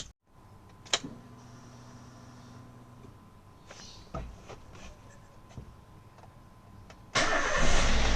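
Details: Car that had a weak battery which would not crank it, started after recharging and refitting the battery: quiet clicks for several seconds, then a brief crank and it catches cleanly into a steady run. A healthy start.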